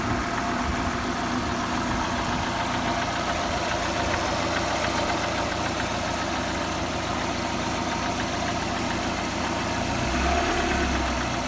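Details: VAZ 21124 16-valve engine at idle: loose, uneven tapping about three to four per second over the hum, sounding the same cold and hot; knock of unknown origin.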